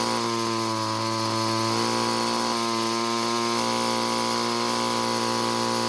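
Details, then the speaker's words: Free curb-found Bolens two-stroke string trimmer that wouldn't start: turning the carburettor mixture screw counterclockwise at full throttle, high whine never peaks, only a slight slowdown point found (where it gets tuned); turning clockwise had killed the engine; low top speed. "i turned the screw counterclockwise to find when the engine was running the fastest but i was never able to find it however i did find the point when it started to slow down slightly"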